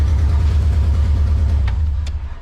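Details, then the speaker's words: Junkyard Subaru engine's first start, idling at about 1,000 rpm: deep, loud pulsing chuffing in time with the firing, running evenly; the exhaust gasket leaks badly because one side is missing almost all its stud nuts; the engine itself sounds healthy. "the motor sounds healthy that's just the exhaust gasket leaking really badly because like i said there's studs and i could only find three nuts and there's three studs on each side so this side is missing almost all of them not holding it tight"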